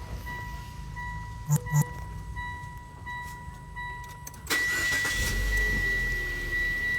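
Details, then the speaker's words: Car fitted with an upgraded LiFePO4 lithium battery with added BMS, started with the brake pressed: two chimes, then a brisk short crank and the engine catches straight into a steady idle; no problem at startup. "So, tapakan ko yung ating preno. I-start natin."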